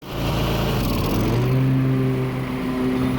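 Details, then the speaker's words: Troy-Bilt zero-turn mower, twin-cylinder Kohler, after fixing a wiring harness fault: catches quickly and pulls up to a steady even drone with no misses or knocks; running healthy. "man, that is a satisfying sound, especially when you've been working hard on electrical issues."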